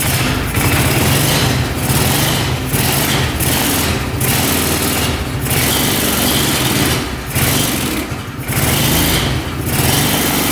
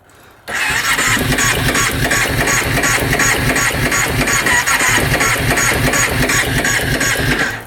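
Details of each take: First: 2005 Kawasaki Prairie 700 twin ATV, airbox off, idling steadily with a low, regular beat and no knocks or misses. Normal idle; no oil comes from the crankcase breather, and old oil is burning off the pipe. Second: 2005 Kawasaki Prairie 700 twin ATV, stored for years: the starter cranks steadily for seven seconds with even compression pulses and never catches, even with choke and throttle. The seller guessed it just needs a carb clean.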